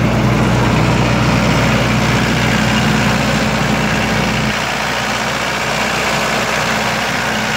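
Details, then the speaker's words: 1995 Libby MEP-804A 15 kW ex-military generator, 4-cylinder liquid-cooled Isuzu diesel rebuilt in a 2010 reset, 688 hours, new filters and fluids, started cold, 1800 rpm: steady even low drone, no knocks, ticks or hunting, runs cleanly, no leaks. "all good as you can hear it runs great no unusual noises whatsoever no leaks"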